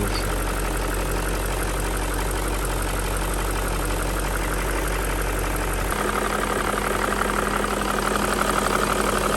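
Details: BMW M62B35 V8 at idle after VANOS units were refurbished but installed incorrectly, before reinstallation and timing correction. Steady idle with a light, fast knock riding over it. VANOS knock.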